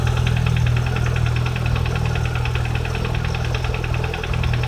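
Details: VAZ 21126 engine with an STK crank-piston group, after a major overhaul, at idle: regular sharp tapping about two to three knocks per second riding on top; a knock from inside the engine.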